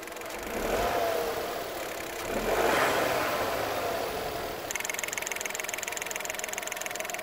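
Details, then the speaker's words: 2021 Dacia Duster facelift 1.0 TCe 100 running on LPG at idle: quick, even metallic ticking over a quiet idle. The LPG gas injectors are noisy, unchanged since the 2019 model, though less audible inside the cabin. "Na gazie niestety wciąż wtryski hałasują dokładnie tak samo jak i w 2019 roku."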